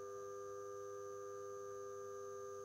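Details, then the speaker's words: Eclatec BS 100 street light, BF 250 lamp, original magnetic ballast over about 40 years old, after cleaning, at power-on: steady, even hum with clean high tones, no buzzing or crackle; ballast works really well. "Donc un luminaire en BF 250, donc franchement le ballast il fonctionne vraiment bien. On dirait pas qu'il a plus d'une quarantaine d'années."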